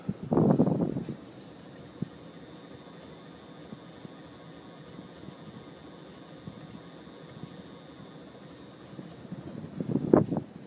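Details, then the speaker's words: Restored Hunter Model 52 ceiling fan on high: thin steady high whine over soft airflow, a startup sound it keeps while running; the only Hunter of the owner's that whines, normal motor whine. "first this is actually the only Hunter Fan that I have that makes that whiny noise has that startup sound and then it keeps that sound as it"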